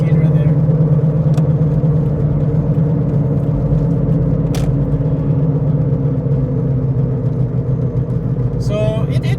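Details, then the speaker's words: Toyota Prius at freeway speed with a loud low droning hum, rumble and vibration in the cabin; the pitch changes when moving. The owner suspects both wheel bearings are bad, though the ABS light is not on. "I think the problem mostly is the noise the wheel bearing noise so I suspect that both whe bearings are bad"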